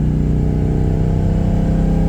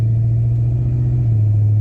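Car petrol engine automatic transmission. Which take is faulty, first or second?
first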